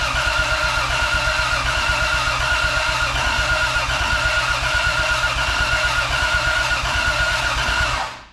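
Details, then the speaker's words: 2JZ-swapped Chevelle, fuel pump priming to 43 psi, one leaky injector: the starter turns the engine steadily for about eight seconds without ever firing; crank no-start, cause unknown. "didn't start can't say that I know what's going on but let's see the next step"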